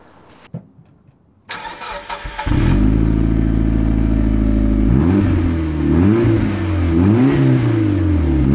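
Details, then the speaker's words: Mitsubishi Lancer Evo 6 after fitting a genuine standard exhaust and new catalytic converter in place of the snapped, rotted one, gasket still missing. Cranks, catches and settles into a smooth even idle with clean blips; quiet, tight exhaust with no blowing. Normal exhaust note. "When you're outside around the back of the car, it's got a lovely tone to it, no more buh. It just sounds perfect to me."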